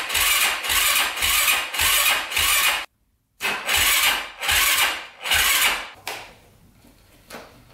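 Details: 2005 Yamaha YFZ450 big-bore single, first start after rebuild: bursts of slow cranking and catching with uneven, sagging firing that fades near the end, barely running; pipe glows red, coolant boils, owner suspects very lean. Cause unconfirmed.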